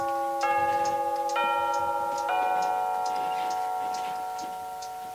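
Clear chime notes struck in sequence, about a second apart, ringing out cleanly and fading; chime movement works properly.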